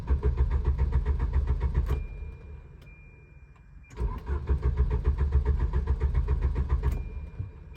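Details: Volvo 740: starter spins engine in two long bursts at even chug, about three or four turns a second, never catching; crank no start.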